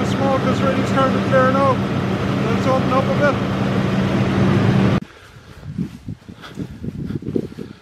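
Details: Massey Ferguson 40 combine harvester, believed 1996, revived after sitting 3 years with fuel and electrical work; smoke clearing: deep, steady diesel drone for about five seconds with no knocks or misses, then shut off; normal running after start-up.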